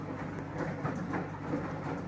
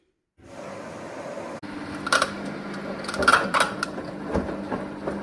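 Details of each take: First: Samsung washing machine after repair: drum turning with steady low hum and even whir, no knocking — drum noise fixed. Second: Samsung washing machine running with uneven knocks and creaks from the drum, sound coming from the drum shaft/spider area; after repair knocking gone.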